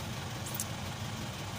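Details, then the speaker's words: Isuzu 4HK1 truck (Reward) that cranked but would not start with check engine light, DTC P0651 flash code 56, now starts and idles after ECM relay replacement (relay powers injectors): steady, even diesel idle, smooth low rumble, no misses or knocks. "Ayan paandarin natin Ayan so Ayos na po yung problema"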